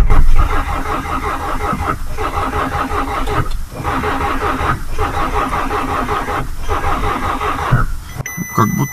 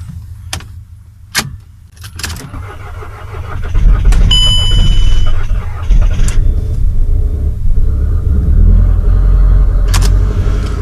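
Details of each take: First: VW Passat being cranked from its own weak battery in freezing weather after preheating: slow, labouring starter churn with uneven beats that never catches; starting current too weak. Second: VW Passat in frost, with a frozen exhaust pipe, started after needing more cranking current than the booster gave: a cranking burst catches into a steady low rumble that holds even; the engine runs normally.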